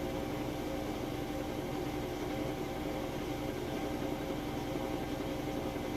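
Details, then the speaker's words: Crosley washer at peak spin speed in final spin after a heavy, warm-water, max full load: smooth, constant hum with no thumping, banging or grinding; drum balanced, normal spin. "That is its peak spinning speed there. Sounds excellent."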